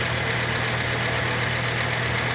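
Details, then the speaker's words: 1998 Volvo V70 after a crank, spark, no-start (injectors not firing) was fixed by reseating a loose connector near the battery; fuel pump previously replaced: steady, even idle hum with no misses, knocks or stumbles; normal idle. "and um well I just fiddled around with it um and put it back together and um it fired right up"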